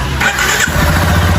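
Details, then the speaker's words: 2022 Lander motorcycle after repairing a terrible engine noise: brief starter whir, then it catches at once and settles into an even, steady idle with no knocking or rattle; normal start and idle. "Aí, pessoal. Cadê a batedeira? Tá aí, ó. Um luxo, rapaz."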